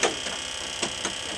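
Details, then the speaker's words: UH-1 Huey helicopter turbine first start after rebuild; sharp light ticks about every quarter second over steady hiss from the rear during start sequence, engine reluctant to go: unexplained clicking during start. "You hear that thing clicking in the back? No. I'm hearing it."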